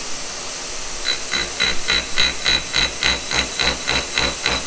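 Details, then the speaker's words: Kearney & Trecker horizontal mill on its first cuts with a horizontal arbor cutter, making a 4140 nut. Rhythmic bright ticks about 3.5 per second, one per turn, over hiss show cutter runout. The front bushing visibly moves, suspected loose; tightening the nut removed the wobble. "all right well that's interesting as you can kind of hear there I've got some run out and I noticed in this front bushing whenever I start this up you can kind of see that moving around"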